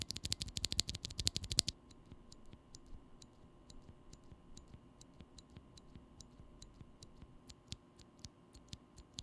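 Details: Holy Panda tactile switch, Krytox-lubed housings, stems and springs: fast burst of clicks then sharp single presses, each leaving a thin metallic ping; leaf spring tick.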